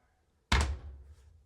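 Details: Electrolux front-load washer EFLF62701T2 door after replacing worn door strike 5304505088: one solid, low thunk that dies away quickly, no rattle or bounce; door shuts and latches properly.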